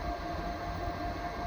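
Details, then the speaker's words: Vevor 12V 2500W/5000W inverter under about 170A DC load for an hour from 12V 100Ah batteries, terminals near 90°C: steady even fan whir with constant mid hum, no rattle or scraping; cooling fans running normally. "the battery , the fans are on, everything's up to date, the cables."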